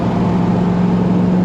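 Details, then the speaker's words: Toyota 1UZ-FE V8 in Hiace van with manual transmission and Link ECU, under load: deep steady drone with lumpy uneven beat; sounds misfiery but is not misfiring, its normal exhaust note. "sounds misfiery but it's not misfiring it just sounds like it always"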